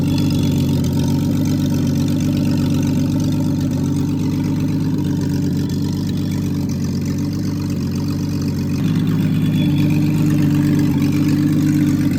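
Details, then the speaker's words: Freshly rebuilt Triumph TR6 six, head shaved 60 thou (about 8.4–8.5:1 compression), after first start, warmed up, chokes off, distributor slightly adjusted: smooth, even idle with a steady low hum and slight late speed lift; normal warm idle. "So she runs well. It was tricky in the beginning when there was no when it was cold, but now it is but once it warmed up and I turned the chokes off, it's running pretty well."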